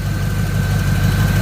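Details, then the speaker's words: Third-gen Camaro small-block Chevy V8, nearly warm, idling after ignition timing was moved by ear: steady even low rumble with no stumbles, knocks or ticks, much smoother than before; timing mark accuracy uncertain; normal idle. "well i got under here and i just moved the timing it sounds better i i don't know that that timing mark's right but man this thing sounds so much better"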